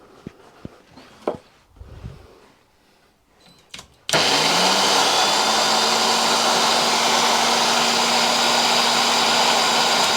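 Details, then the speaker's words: Wolf tool post grinder unused for about 30 years, first power-up: handling sounds, then the motor starts with a hard whir and a steady high hum with a faint low drone; the drive belt feels rough when turned and the motor bearings are probably worn. "that feels really rough this splinter the spindle feels very nice the bearings in the motor are probably shot"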